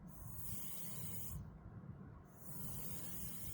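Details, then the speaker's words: Mini split during pressure test and vacuuming: the line is loosened at the fitting, giving a steady, airy hiss that briefly stops then resumes as refrigerant pushes the air out. Normal refrigerant purge. "So we're going to loosen this air. Listen, hear that? That's the refrigerant."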